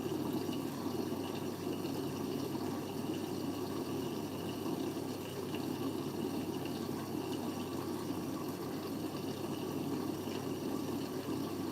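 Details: Siemens 9 kg washing machine, Eco 40-60 with an 8.35 kg full load: soft, steady rush of water through the i-Dos dispenser with no pump whine or knocking; normal fill.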